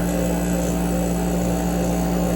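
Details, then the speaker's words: AC with front cover off, compressor starting after sitting unused; low hum with rough chatter as pressure equalizes, chattery stationary-vane rotary compressor, still cooling with some refrigerant left. "Because it's a stationary vane rotor, it gets pretty chattery sometimes."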